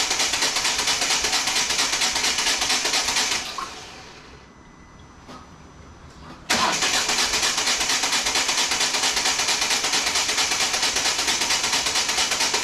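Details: 2014 Volvo V40 D2 1.6 diesel (D4162T), after the timing belt stripped teeth and damaged the cylinder head: the starter churns evenly for a few seconds, stops, then cranks again without the engine firing. Crank, no start; cause unresolved.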